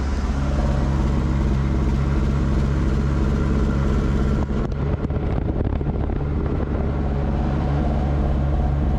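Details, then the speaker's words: 1977 Ford Pinto wagon swapped with a 1993 Mustang 2.3L EFI engine, ignition and fuel pump on a manual switch, coolant just cycling: fast, lumpy idle with an irregular stumble; owner suspects a misfire, idle revving too high, charging at 11.5 volts. "it kind of still sounds like it sounds like it has a misfire kind of sounds like"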